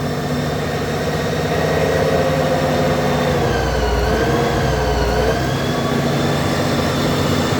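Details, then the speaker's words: 2008 Honda GL1800 Goldwing flat-six idling in neutral with clutch out: thin wavering whine drifting in pitch above the engine note, vibration felt at the clutch; abnormal noise, source not yet found. "In neutral, clutch out. Clutch vibrating right here."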